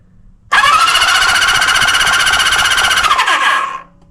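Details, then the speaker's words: 1974 Honda CB350F four-cylinder, cranking on the starter during spark check; spark found on both coils. About three seconds of quick, even starter whine with no compression chuffs, spins freely. "So, we know we got power at the coils. We know it cranks over. We don't know if it has spark."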